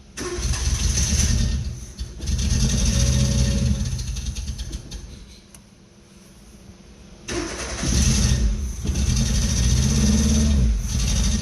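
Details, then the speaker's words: 1977 Renault 5 LeCar, long neglected, first start: runs only with throttle held, sags almost to a stall, picks up when revved; idle too low, won't hold idle, owner suspects vacuum leak, not confirmed. "Got a vacuum leak. Can't take my foot off. Got no gauges. Sounds good. Idle is too low."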